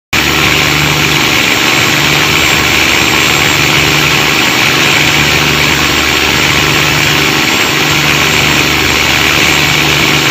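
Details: Cummins KTA19 marine diesel with a fault of noise and black smoke: loud, constant, harsh clattery roar at steady speed; the engine sounds rough and the cause is not clear.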